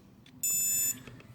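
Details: Brushless motor on a 180 build, tested with no props through a YKS servo tester: when the battery is plugged in, a single clean high-pitched beep of about half a second as the ESC powers up; normal arming.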